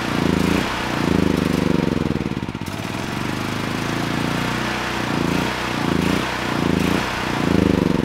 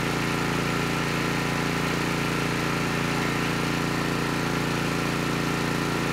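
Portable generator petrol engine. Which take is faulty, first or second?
first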